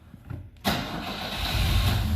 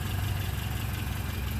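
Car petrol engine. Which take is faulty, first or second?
first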